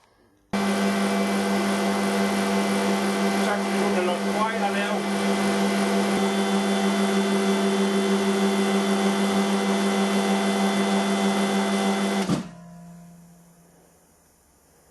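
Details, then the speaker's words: Air compressor after service with new foam air filter: steady even pump drone with clean tone running about twelve seconds, then tripping out at cut-off, 150 psi, 10 bar working pressure; healthy. "That's it tripped out, 150 psi, 10 bar working pressure."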